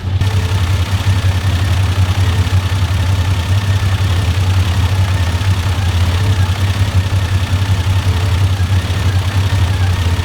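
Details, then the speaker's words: 1995 Toyota Land Cruiser 80 series with a gas system removed years ago, at idle: low, lumpy, wavering idle with a faint light ticking. The owner suspects the tappets need adjusting; RPM fluctuates with black smoke, possibly linked to a faulty PCV valve. "I can also hear like almost like tappets. Maybe the tappets need adjusting again, but I'll let you have a listen to it now."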